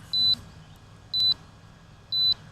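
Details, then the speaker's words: Autel Evo drone controller gives three short high low-battery warning beeps about a second apart at about 330 feet up with 11 minutes of battery left; owner wonders if the warning is residual. "11 minutes left on battery ah another low battery warning i wonder if that's residual low battery warning 330 feet up"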